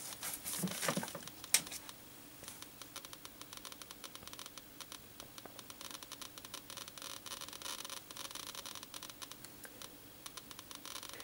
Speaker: so if we bring that up near the tube you should get plenty of activity and you can hear it clicking as well